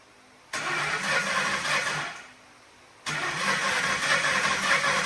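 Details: 1997 Lincoln Town Car Signature bought with an unknown engine fault, restarted after blowing out some catalytic converter material: catches, runs ragged under two seconds, dies, restarts unevenly; exhaust almost cold to the touch, owner suspects a cat blockage.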